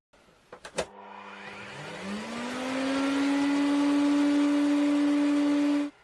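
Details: Vacuum cleaner after its failed TRIAC was replaced with a BTA16 and refitted to the heatsink with new thermal paste: motor spins up smoothly over a couple of seconds to a steady, even hum with no roughness or cutting out.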